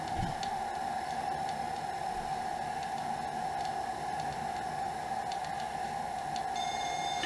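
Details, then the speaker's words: Amstrad CPC 464 DataCorder tape deck after repair, servicing and azimuth calibration, loading Operation Wolf: clean, steady pitched loading tone without warble or dropouts over tape hiss; deck reads the long leader evenly, normal loading. "and there we go we're loading guys so what i'll do now um is i'll let this go"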